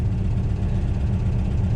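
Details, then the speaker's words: Pink 1969 VW Beetle air-cooled flat-four after carburetor cleaning and tuning, on its first drive in 14 years: even lumpy putter idling at about 900 rpm, no misses or knocks; runs smoothly. "There, she's idling at about 900. That's okay."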